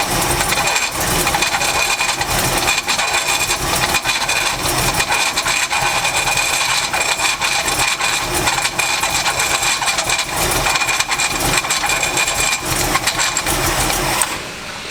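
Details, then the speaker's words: 1984 Chevy C10 truck with power steering problems: harsh, rattly high-pitched hiss with a thin steady tone over the running engine; the power steering works briefly but the belt keeps slipping, fix not yet found. "all right guys I mean Kevin Dean couldn't get the steering actually act right works for a second but the belt keeps on slippin"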